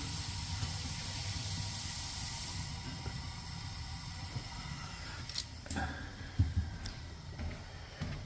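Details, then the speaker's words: Wall heater that had leaked carbon monoxide, after chamber cleaning and gas pressure adjusted from 4.5 to 3.0–3.5; steady soft gas-burning hiss with light clicks, blue flames, CO detector reading 0; burner running cleanly. "Still reading 0. Still reading 0. It's on. The flames are nice and blue."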